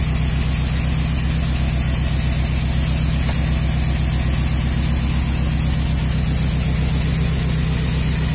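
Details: Nissan 200SX misfiring at idle: steady idle with an uneven, lumpy pulse roughly two to three times a second, a stumbling beat.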